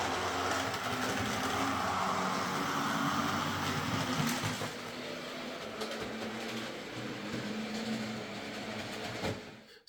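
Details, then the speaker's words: Hornby "Sir Dinadan" model locomotive with its original motor before a Peter's Spares X04 replacement, drawing just over 200 milliamps. A buzzy, gritty whirr holds steady then eases slightly; noisy motor. "it was making a bit of a a rattling sound I mean some of them do"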